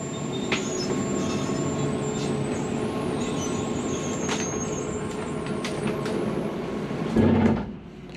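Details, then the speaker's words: Rockwood Mini Lite 2104 travel trailer slide-out running out: steady motor hum with a faint whine, then a short louder burr at full extension as the slide stops itself from overtravelling; normal, nothing grinding. "That is nothing grinding, nothing is going wrong with your device. That is what the slide does to keep itself from going past the point it needs to."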